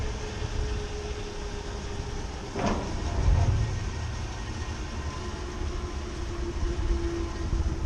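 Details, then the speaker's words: Rooftop commercial ventilation unit fan drive: deep steady rumble with a faint hum, rough and shaky, whole unit shaking; worn belts and neglected maintenance cause the vibration. "Whole thing is just shaking."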